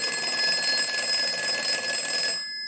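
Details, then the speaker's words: Northern Electric Galion rotary desk telephone after repair, final checkout with ring cycle sent from an analyzer: loud, even metallic bell ring for about two and a half seconds, crisp strike, clean stop; normal ringer. "we're going to go ahead and use the analyzer and we're going to send a ring cycle so we'll start that"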